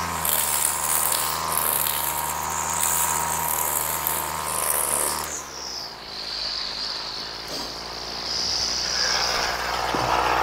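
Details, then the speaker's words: Old two-stroke Flymo Maxi Trim strimmer after carburettor clean and a homemade Scotch-Brite air filter, cutting thick growth: a high buzzy whine that sags briefly under load, then recovers cleanly without stalling; healthy running under load. "so that's working really well we've got a decent amount our there is when we get it in the thick stuff it's not killing it it's holding its own"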